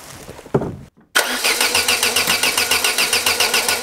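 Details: Peugeot 205 with Solex carburettor just refitted: starter churns at about three and a half turns a second, never catching, accelerator pumped to squirt fuel; battery weakening; open vacuum hose port leaks air, stopping it starting.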